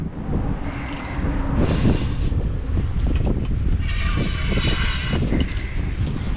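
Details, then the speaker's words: John Deere Scotts 20/48 lawn tractor, trigger wires found unplugged: starter churns heavily with no catch or firing, it fires but won't stay running as fuel only slowly starts reaching it; crank no-start from fuel starvation. "All right, well, it won't stay running, but uh we are starting to get fuel now."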